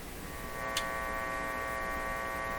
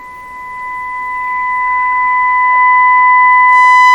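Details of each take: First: Philco 38-C7 tube radio, warmed up for IF alignment: steady hum with stacked low-to-mid tones, unchanging, induced just by a test wire's placement; source not yet fully found. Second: Philco 38-C7 tube radio during IF alignment: steady mid-pitched test tone swells to full loudness near 469–470 kHz then eases; IF stage peaked correctly.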